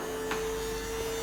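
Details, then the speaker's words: BMW 760Li V12 trunk hydraulic pump and strut after bleeding over several cycles; steady even motor hum at one pitch, stops at end of travel instead of spinning freely and noisy as before — normal pump cycle after repair. "En fin de compte, arrivé en butée, il ne fait plus tout le bruit qu'il faisait avant, à tourner dans le vide."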